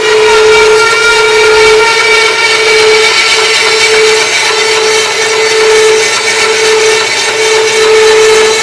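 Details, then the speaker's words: Harbor Freight bandsaw upgraded to a Leeson 1 hp motor after the stock motor burnt out, cutting two stacked 2x4s: steady strong whine holding pitch without bogging under firm feed; cuts cleanly. "all right so i think i got everything dialed in i did a cut right there and it worked really really nice um it went really good i could push hard"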